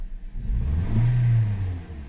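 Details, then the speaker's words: Toyota Corolla 2013 (titled 2014) with misfire, stumbling and weak torque: engine revs up and falls back unevenly with a rough dip and stumble early in the rise; misfire traced to a faulty ignition coil on cylinder two. "زي ما شايفين يا شباب فعلا العربيه فيها يا شباب فيها رترتة وقطع زي ما انتم شايفين لما"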